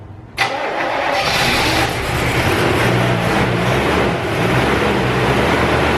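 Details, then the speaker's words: Old carbureted car that had been sitting, with a battery too weak to crank, started with a NOCO Genius Boost Pro after cranking several times: a sharp catch, then the engine fires and settles into a somewhat uneven idle. "we had to crank those several times as you saw this unit held in there"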